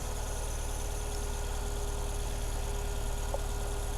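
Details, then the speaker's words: Saturn S-Series on a very cold January morning with code P0340, check engine light, unburnt-fuel smell and knocking. Low, lumpy, heavy chuffing idle; a plug test shows it running on only two cylinders, with both dead cylinders on one coil pack. The coil pack is suspected and being swapped to confirm. "thing is only running on two cylinders that thing's not running it at all"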